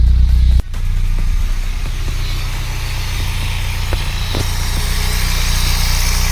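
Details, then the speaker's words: VW Polo with rebuilt Pierburg 2E carburettor (cleaned, new gaskets) and replacement starter motor, after earlier unstable idle and poor cold starting: cranks briefly, catches and settles into steady, even low idle, no misses or knocks; normal start and idle. "¿Vosotros cómo lo veis? Yo lo veo bastante bien comparado a cómo estaba antes."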